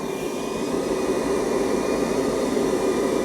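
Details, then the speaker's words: Hotpoint Aqualtis dryer, modified by Hotpoint according to the owner, wrecked jockey wheel pulley already replaced: steady drum rumble with faint ~400 Hz tone, slow to speed up because the drive belt is stretched and needs changing. "It's taking ages to speed up because actually the belt needs doing. Now, I've changed the pulley and didn't realise the belt's also stretched, so the belt stretch and needs changing."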